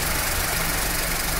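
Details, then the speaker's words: Skoda Fabia overheating with cooling fan not working, after replacing faulty fan relay (wiring OK): steady rushing fan whoosh over even idle; cooling fan running properly, problem solved. "ये देखिए replace करने के बाद हमारा problem solve हो चुका है"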